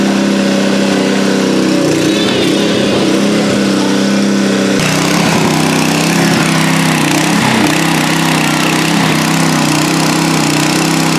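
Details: Nearly new Honda WB20XT water pump with GX120 engine that would not start, after carburetor cleaning: steady, even buzz at constant speed with no misses or surging. Normal running after repair.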